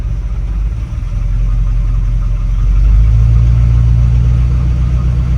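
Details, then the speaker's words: 1981 Dodge Ram 350 V8 with Edelbrock 600 CFM carburetor: low uneven loping idle, running really lean on one side, smoothing above the idle circuit; clogged idle circuit suspected, cleared by blowing compressed air through it. "so it's running really lean on one side of the carburetor One Bank of the motor or actually transitions from one two on one side two on the other usually with these intakes"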